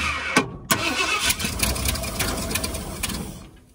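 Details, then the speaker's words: 1978 Ford Bronco Ranger XLT with a 400 engine, sat 20+ years, timing set by hand and throttle linkage free. Uneven cranking with irregular pops about three a second never settles into a run; sputtering no-start. Owner suspects timing still slightly off. "Fire in the hole. I think it might try to run. I think she's gonna try to go."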